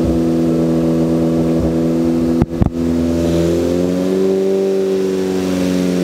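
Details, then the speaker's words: Freshly built Ford Focus ST engine with balance shaft delete and oil cooler, on Comp Cams break-in oil, held near 2,500 rpm for ring break-in: smooth, even hum with no knocks or ticks, only a brief dip. "If you can hear me, but this car sounds amazing. But what we're doing right now is we're doing the break-in process. So I'm doing my best to hold the engine RPM at 2,500 RPM."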